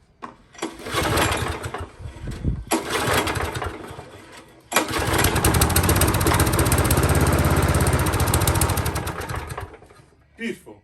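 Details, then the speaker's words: Lawn mower engine after an engine swap, started briefly with a good drink of fuel. A couple of short bursts, then a steady, even single-cylinder putter with a lean fade at the end: normal running. "These are just such fantastic engines. They really are."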